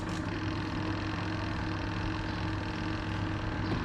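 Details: Two-tub 8.5 kg washing machine whose spin tub won't turn: spin motor hums steady and even at normal speed with no load or drag, spinning free without driving the tub.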